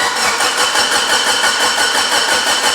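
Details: Stroker Mitsubishi Evo 8 on a base map with the immobilizer disabled, first start attempt: the starter cranks in an even chug, about five beats per second, without firing. The fuel system is suspected not yet primed; unconfirmed.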